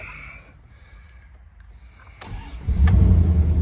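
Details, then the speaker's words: Neglected Dodge Durango R/T fixer-upper, first start: a brief crank, then the V8 catches within a second and settles into a deep, even, smooth idle, a healthy start; it went into drive and pulled away fine. "about that fire right this is smooth oh yeah you got guys saw I meant to mention that it of course you saw it fired up really nice"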